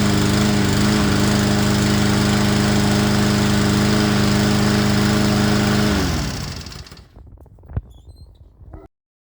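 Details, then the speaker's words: Craftsman lawnmower that sat unused and would not start because its carburetor jet was clogged; after the jet was replaced the single-cylinder engine holds a steady beat for six seconds, then winds down cleanly: healthy running. "the fuel is not going through and that's why it didn't start and here we get it started on like the fourth"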